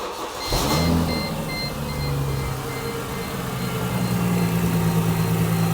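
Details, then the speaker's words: Mercedes SLK350 R171 after replacing both idler pulleys and belt tensioner to cure whistle/squeak: engine cranks, catches and settles into steady idle with no whistle or chirp; normal belt drive; alternator bearing still suspected. "The sound is gone. When I spun the alternator by hand, I can't spin it very fast."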